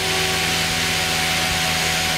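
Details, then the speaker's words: Goblin 500 electric RC helicopter after switching down from idle up one back to normal mode at half stick: steady, moderate motor and rotor hum with no surging, sounding like the correct 75% headspeed once modes are cycled. "you could hear it go down and when I go into normal now that is that sounds like 75 percent to me"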